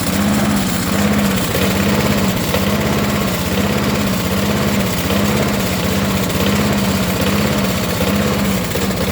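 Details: Briggs & Stratton 6.25 HP mower engine with a rough idle, its note wavering up and down a little over once a second.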